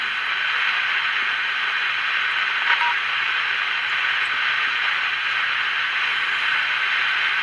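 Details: Magnavox AM-80 transistor radio on the bench, transistor not getting warm: steady hiss with only static and an occasional faint voice, no station tuned in; radio does not work, cause undetermined.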